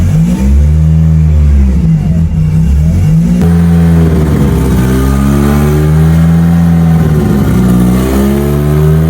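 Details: Mitsubishi Evo during build before dyno prep, revving after first fire-up with fuel pump on and fuel pressure up; crisp, even revs rising and falling smoothly, no misses, knocks or rattles. Normal revving; alternator not holding voltage.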